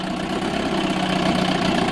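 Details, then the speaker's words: 1987 Johnson 4 hp two-stroke outboard in a water barrel, first run since last summer, on old, oil-rich fuel and a little smoky: steady, even low burble with a soft regular putter and no knocks or misses; idling normally. "idling over absolutely fine so let's just do a quick walk around with it"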